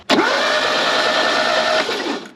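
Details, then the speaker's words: Fiat 124 Sport Spider off the road since at least 2011, baseline timing good, ignition on with good voltage: under two seconds of steady whirring crank that never fires; crank no start, no spark, points later cleaned as they made no connection. "No fire. Okay, we've got to figure out what we got going on."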